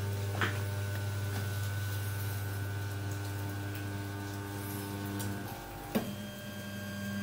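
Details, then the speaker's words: Newly assembled RepRap Wilson TS 3D printer running auto-home from the LCD panel: smooth, steady stepper whine shifting pitch as each axis drives the print head to the front left corner, then settles; no skipping or grinding, normal. "all right so there it's taken the the uh print head to this front left corner"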